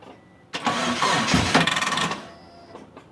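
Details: Mitsubishi Eclipse after about 8.5 years sitting, fuel and spark confirmed, timing set, weak battery on charger: busy uneven starter churn for about a second and a half, stops without catching, crank no start; owner suspects the crank position sensor.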